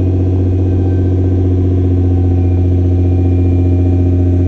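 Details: Nissan GT-R R35 with code P1220 (fuel pump module), which had a no-start from a broken fuel pump fuse, with power at the pump confirmed: deep steady hum at an even pace with no misses or knocks; normal running.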